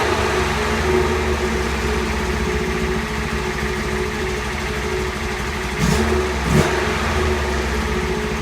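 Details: Honda S600 engine: a busy, slightly uneven idle with a faint hunting beat, and clean throttle blips. Carbs work, but the owner says they need synchronising. The water pump housing is leaking.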